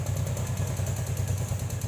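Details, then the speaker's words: Yamaha Jupiter Z motorcycle idling with a quick light metallic ticking about eight a second, appearing a month after an oversize rebore and new piston. "Kesempatan kali ini kita akan bahas di mana suara Jupiter Jet menggelitik, klitik-klitik seperti di video berikut ini."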